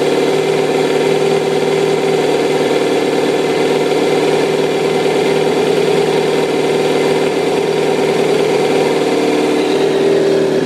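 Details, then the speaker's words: 2005 Kawasaki ZX-6R 636cc track bike, 7,219 miles, Muzzy full exhaust, Power Commander, cold start after a couple weeks sitting, in neutral: steady smooth idle, even exhaust note, no ticking or stumbling; runs really smooth. "see the bike did start right up the rear wheel is spinning a little bit like i said it hadn't been started in a couple weeks so sounds like it just about warmed up see it's running really smooth no issues no issues whatsoever with this bike"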